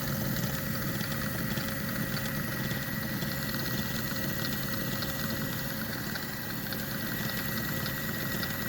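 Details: Kenmore 385-19550 sewing machine spun after repairing a twisted, seized pattern-mechanism metal piece that caused wrong stitches; quick, even whirr with steady rhythm and no binding, running normally.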